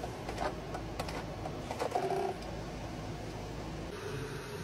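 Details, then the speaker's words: Renault D Range truck gearbox, after several flushes of milky oil: air-purge routine cycling all solenoids under pressure, faint irregular clicks and clunks over a low steady hum, normal operation while reinitializing the gearbox. "so what this does is Purge the system of air um by operating all the solenoids inside sever times under pressure just to release the air from the circuit sometimes you got do this up to three times to get it take the fa out and if you listen carefully about now you should be able to hear it clunking away working this"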